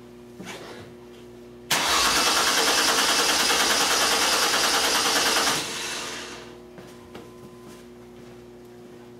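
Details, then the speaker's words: 2002 Mercury Cougar 2.5 L with electronic returnless fuel system, new fuel pump installed with reversed wiring: starter cranks at a steady three beats a second for four seconds and never fires; scan tool shows no fuel rail pressure; crank no-start. "So we definitely do not have fuel pressure."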